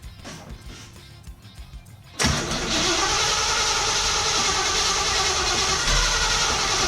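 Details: 1967 Camaro SS clone, first startup after revival with a couple of gallons of fuel and a temporarily hooked-up ignition: quiet cranking, catches at about two seconds, steady even idle with no knocks or misses; may need more fuel.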